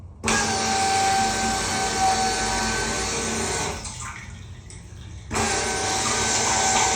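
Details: 1991 Ford F150 under restoration, fuel system test with the pump switched on and fuel feeding toward the filter and rail: a steady hissing rush of fuel over an even pump hum, dipping briefly then returning. The pump delivers fuel normally.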